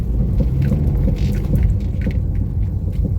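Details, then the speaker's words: Honda Freed in for steering rack and suspension service: irregular sharp "tek tek" ticking knocks over low road rumble while driving, front-end knocking likely from a worn steering rack. "jadi ini juga tekstilnya kena nih jadi Sorry barusan denger nggak sih nah kan ada bunyi tek tek"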